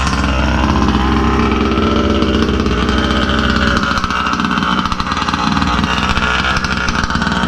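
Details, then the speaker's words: Rovan RC car, 36cc Victory big-bore two-stroke with pipe, fired on the first pull without choke: loud buzzy note holds steady with no misfires, knocks or rattles; normal idle and revs. "and did y'all see i i did not freaking put the choke or anything man this thing fired up like on the first pull right"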